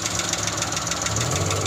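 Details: Suzuki Scrum F6A with a 12V system that was hard to start, after ignition switch replacement: it now starts at a flick of the key and the small petrol engine idles steadily with a quick, even ticking beat and no stumbles; running normally.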